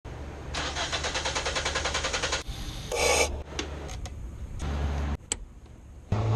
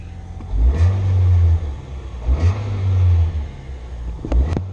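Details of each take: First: Starter churns evenly for about two seconds before the engine catches on a 2006 Nissan Sentra 1.8L with no power and rough idle; extended crank pointing to a weak fuel pump, replaced as the fix. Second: 2006 Nissan Sentra 1.8L, fuel pump job: three quick throttle blips rise crisply and drop back to a steady idle without stumbling. Engine pulls cleanly and sounds healthy.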